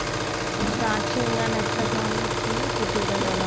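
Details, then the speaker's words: Tailor's sewing machine just cleaned, neatly oiled and reassembled; loud rapid clattering at about four beats a second with a busy rattling edge, still noisy despite the oiling. Cause unclear. "అది నేను original voice కావాలనే పెట్టానండి చూసారా ఎంత sound వస్తుందో అంత oiling చేశాను neat గా ఫిక్స్ చేశాను అంత చేసిన ఎందుకు ఇలా సౌండ్ వస్తుంది నాకే అర్థం కాలేదండి."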